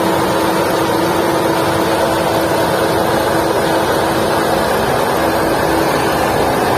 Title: Volkswagen Vento engine noise problem | Vento engine sound problem | #carengine #car #usedcar